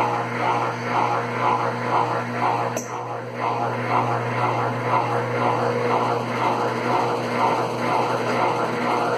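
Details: Consul Facilite CWC10 washer that would not power on, fixed by replacing the power board: steady low hum with an even whoosh about twice a second as the drum spins, smooth with no knocks or scraping. A normal spin cycle.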